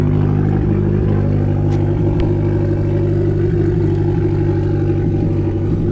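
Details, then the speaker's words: 2012 Fiat Abarth at idle right after start-up: rough uneven idle with irregular thumps and stumbles about once a second; terrible misfire, cause still unknown. "alright guys so I was a car starting up it's so I'm pretty good with you know the misfire it's terrible"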